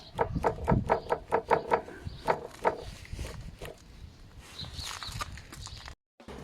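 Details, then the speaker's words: Honda NC750X front wheel spun by hand at 38,000 km: rough rhythmic knock and vibration slowing as it coasts, from worn front wheel bearings with rust inside, likely from pressure washing; bearings replaced. "now you can hear here you can feel some vibrations and the strange noise caused by the wear of the bearing"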